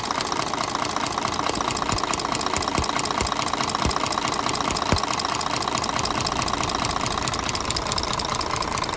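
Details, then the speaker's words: Axor truck with an OM 457 diesel, run after a stuck tappet was freed and the valve clearance adjusted: a steady light ticking about twice a second over the idle. The valve lash grew large again after running. "Ну что же у нас после работы заметно теперь зазор увеличился"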